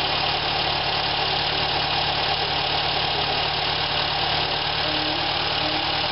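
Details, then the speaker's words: 1973 VW engine (fuel contains diesel, so some smoke expected) restarted after sitting a minute; alternator not strapped on, just sitting loose and possibly making a little noise; busy, steady idle with no knocking or stumbling, sounds pretty good: normal idle. "crank it up again and see what we think after it's set for a [Applause] minute actually sound pretty good to me"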